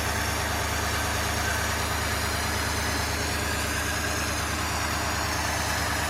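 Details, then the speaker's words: 1953 Ford Victoria flathead V8, not run for years, jump-started on 12 volts across the solenoid, fed from an auxiliary gas can, no coolant in it: even steady idle with deep low rumble, no knocks or stumbles. "so I just jumped and um the car started up so uh let's hear it run"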